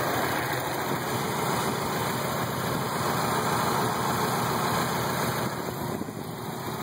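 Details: 1990 Mazda Miata idling at spec with a slightly uneven, pulsing beat, the entire car and motor rocking back and forth; rough idle, owner suspects a possible crank problem.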